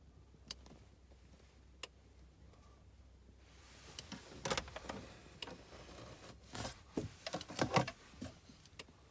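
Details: BMW MINI R53 Cooper S, engine off: faint sharp clicks at irregular intervals from behind the centre console, lasting about 15 minutes and since stopped. Possibly a switch or relay; cause unknown. Aftermarket voltmeter, oil-temp gauge, navigation, woofer and amp, radar and ETC are fitted.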